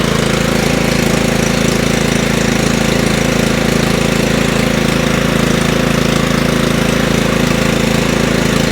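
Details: Craftsman 30-inch riding mower single-cylinder engine, on choke, after the gummed carburetor was cleaned: steady, even beat with no misses, surging or dying. No spark plug was needed; running properly after repair.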